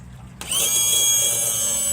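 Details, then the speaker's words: 2000 Johnson 115 outboard trim/tilt motor runs with a piercing high-pitched squeal over its whir, somewhat reduced after adding hydraulic fluid and freeing the manual release valve. "Hear that sound? That's squealing. Shouldn't really hear that sound. It's not as bad since I put some fluid in it."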